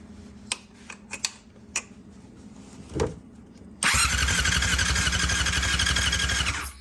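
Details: 1999 Yamaha R6 bought as a non-runner, dropped, history unknown, came with new coils, headlight fuse pulled: a few clicks, then about three seconds of even, fast starter whirring with no firing; cranks but no spark.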